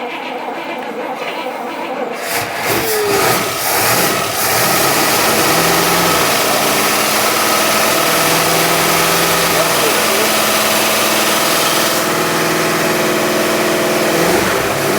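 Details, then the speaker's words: 1960s Bristol 408 with Chrysler 5.2 V8, barn find after long storage, fuel pump hand-fed: brief crank, then catches and settles into an even, steady idle with no misses; dynamo seen sparking; engine running healthily. "that's sounds all right that's so good right"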